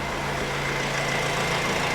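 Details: 2010 Honda CR-V 2.2 i-DTEC common-rail diesel idling with lumpy uneven beat, runs poorly, hard to start, smells bad; engine light on with code P0304, cylinder 4 misfire.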